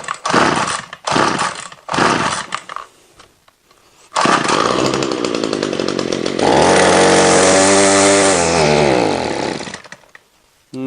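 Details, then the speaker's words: Ryobi two-stroke line trimmer that won't rev, heavy smoke from the exhaust: a few sputtering starts, then a rough wavering buzz that won't climb cleanly; too much oil in the fuel mix. "you've seen other videos that I've done before where people have done incorrect fueling having either put the wrong fuel in a vehicle or appliance or whatever the case is look I think that's the problem here"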